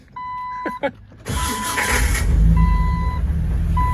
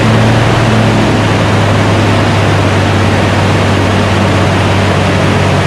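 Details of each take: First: 2002 Jeep Wrangler with a new 4.7L stroker engine, brand-new aftermarket DB Electrical starter: warning chime, then a harsh metallic grind as the starter engages before the engine catches. The starter pinion is grinding on the flywheel; the owner may refit the original starter or get a better one. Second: 2002 Jeep Wrangler, freshly installed S&J Engines 4.7L stroker replacing the 4.0, just after first start. Steady, even fast idle of about 2,000 rpm for the 15-20 minute cam break-in, with a smooth, unbroken drone. Normal fast idle.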